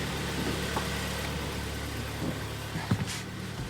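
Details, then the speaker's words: 2011 Hyundai ix35 G4KD, 153,000 km, after repair of coked rings, heavy oil burning and winter cold-start knock: low even idle hum with steady beat, no knock or ticking; engine runs smoothly. "так пробег 153000 сами слышали работает ровно год 2011"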